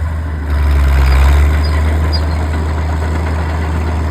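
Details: Old Caterpillar D6 diesel dozer warming up at idle, with a heavy, steady rumble that picks up slightly then settles, even and without knocks. It smokes a bit but sounds good; normal diesel idle.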